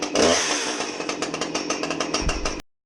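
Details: Husqvarna 357XP chainsaw serviced after being dropped in a river, rusty chain cleaned, started to check bar oiling: fires up and runs at a steady even buzz with regular firing pulses, no misses; sounds healthy.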